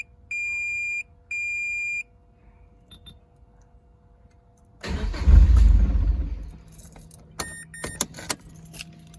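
Door chimes, then a single short burst of cranking that never catches and a few clunks; engine cranks but will not start.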